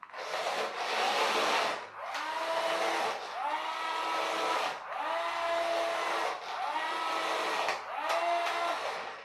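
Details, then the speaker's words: RC-converted push-along toy car on a 2S battery: motor whine in short bursts with rough rasping chatter, like a missing gear or slipping pinion; owner suspects the 3D-printed replacement pinion gear is jamming. Rough gearbox noise. "oh that sounds like there's a gear missing on the gearbox it may just be slipping on the motor might be the pinion gear slipping"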